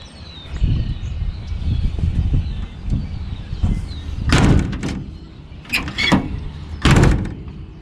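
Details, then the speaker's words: 1964 Chevrolet Corvair Corvan 95 (FC) van: light handling, then solid single thuds as the doors shut firmly with no rattle; normal door close. "Nice and tight."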